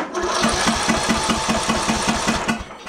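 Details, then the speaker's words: Craftsman LT1000 lawn tractor, probably early 2000s, that overheated and lost compression, after valve work and reassembly, cranked with key off to check compression: steady, even starter chug, each compression stroke alike; compression sounds healthy. "uh we're just going to go crank and listen to it make sure the compression sounds good well that sounds"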